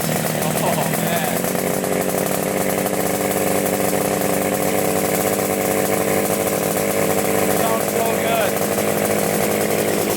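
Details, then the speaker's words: 1975 Yamaha RD350 two-stroke, sat 4 years, started on second kick with choke off: steady buzzy fast idle, even beat, no misses or stumbles, no leaks; normal running. "no leaks whatsoever either it really started up second kick"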